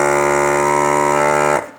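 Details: Pioneer SX-780 receiver with a phono stage fault after service: a loud, harsh buzz rings steadily for over a second, then cuts off; blamed on leaky electrolytic capacitors in the phono stage, six of which were then replaced.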